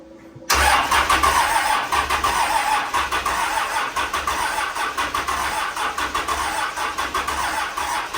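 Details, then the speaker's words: 12-valve Cummins diesel in a Grumman van, first start after work, with oil and fuel but no coolant: catches almost at once and settles into a steady, even diesel clatter; starts and runs cleanly. "well that's exciting it runs yeah"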